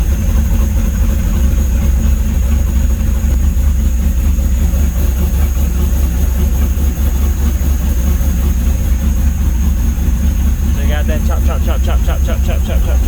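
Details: Vehicle with exhaust cutouts, shown for comparison: deep, loud idle with uneven chopping pulse, lumpy and rolling, an aggressive cam lope.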